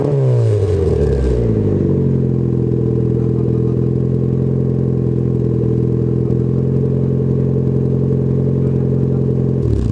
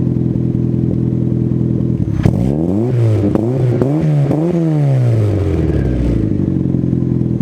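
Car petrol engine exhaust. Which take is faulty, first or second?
first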